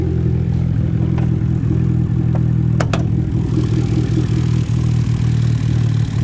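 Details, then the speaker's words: 2012 Fiat Abarth at idle right after start-up: deep lumpy idle with uneven stumbles and dropped beats every second or so; bad misfire, cause still unknown. "alright guys so I was a car starting up it's so I'm pretty good with you know the misfire it's terrible"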